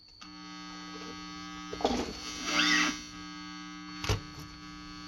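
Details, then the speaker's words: Positive-ground guitar pedal with charge pump chip: steady piercing whistle with low buzzing hum, squeal making the pedal unusable; chip blamed, not to be used. "there's a definite squeal you hear that whistling it sounds awful"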